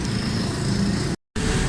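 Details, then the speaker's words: 2020 Suzuki Swift started after head gasket replacement (genuine gasket, timing set, AC belt changed): smooth, steady idle, low even hum with no knocks or misses; engine sounds healthy after repair. "गाड़ी start कर दी मैंने बिल्कुल smooth है still है"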